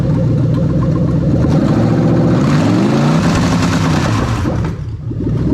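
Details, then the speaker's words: Lexus LS430 3UZ-FE VVT-i V8 on ECUMaster Black standalone ECU with new harness, first start, straight-piped: quick revs climb and fall cleanly with no misses or knocks; starter and injector-ACIS working, engine runs healthy. "Okay, so we know the starter works, we know the Injector-ACIS works the way we want it to. We're going to quickly rev the engine."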